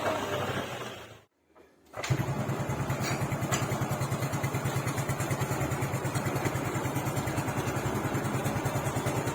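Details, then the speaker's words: Yamaha Fino CVT scooter after the worn crankshaft repair: engine restarts and settles into a smooth, steady idle with no pulley rattle; crankshaft fix complete, power and response back to normal. "okay, listen to the sound, now it's smooth again, which means that the suspension on the crankshaft part is finished and it's good"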